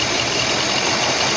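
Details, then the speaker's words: 1953 Packard Cavalier after fuel tank pickup fix, soldered radiator, rebuilt water pump, fuel pump and carb: steady, even idle with constant hiss-like roar, no knocks or stumbles, no battery or oil light; running on its own. "no battery light or oil light that's good let it run for a minute here"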